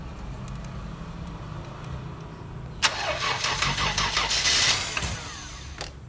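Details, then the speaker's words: Mercedes-Benz W124, cylinder head just refitted after white smoke and oil loss: quiet cranking churn, then on the fourth start attempt the engine catches with a loud rush and runs roughly; slow start until fuel filled the injectors, lifters not yet full of oil. "Setelah berulang kali di starter dan starter yang keempat, mesin berhasil hidup. Dikarenakan seluruh suplai bahan bakar menuju injektor sudah terisi dengan penuh, sehingga mesin dapat hidup."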